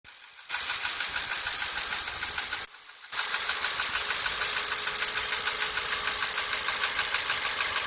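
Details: 1.6 Ti-VCT engine at idle: fast light ticking, about three per second, over a smooth idle with little low rumble — a clear top-end tick.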